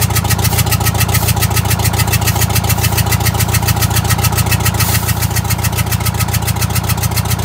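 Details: Vintage Scenicruiser bus with Detroit Diesel 8V71 two-stroke, hard regular pulsing at about 214 beats a minute over a heavy drone; down a cylinder, injector on that cylinder bypassed so no fuel reaches it.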